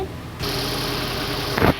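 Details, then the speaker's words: Hyundai Elantra idling with a misfire (P0267): petrol engine runs with an uneven, lumpy beat; scanner shows cylinder 3 injector fault and O2 sensor reading lean. "الماكينة تفرق، الكشاف واضح. هاي تفتح. هنا واضح انه قاعد ترد. الحين طلع لي سلندر 3 انجكتور، بخاخ رقم 3."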